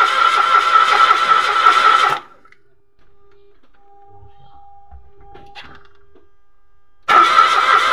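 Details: Mitsubishi Mirage automatic, new spark plug, no fuel coming out at the line, fuel pump suspected: two bursts of steady fast cranking with a gap, engine never catches or fires; crank no start.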